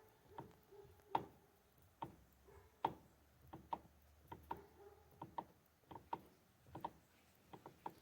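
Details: Mitsubishi L200 Triton during column reassembly. Sharp, light clicks at an uneven rate of about one every two seconds come as the wheel turns; the owner thinks it sounds like a bearing, source not yet found.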